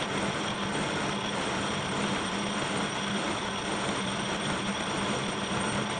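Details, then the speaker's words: Kearney & Trecker milling machine making its first cut after restoration: a steady cutting roar with a faint pulsing hum beating with each cutter turn. The owner suspects a very small, undetectable arbor bend; this is unconfirmed and he considers it harmless. "you could hear that rhythmic sound that the cutter was making and I believe that's because there's likely a very small undetectable Bend in this Arbor and it'll do fine"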